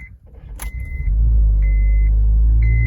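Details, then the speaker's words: 2008 Honda Civic Hybrid idling warm: deep droning hum and buzzing vibration resonating into the cabin, with substantial engine movement at idle, from a worn top engine mount, then replaced. "you can totally hear it it's more prominent and i don't know if you guys can hear that it has more of that buzzing sound"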